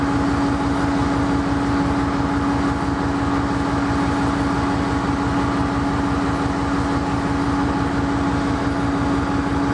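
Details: Sidelined KCS ES44AC #4815 diesel locomotive at Wenatchee, Washington: loud, steady diesel drone with a constant whine on top, the low pulse slightly uneven; rough idle, cause unclear.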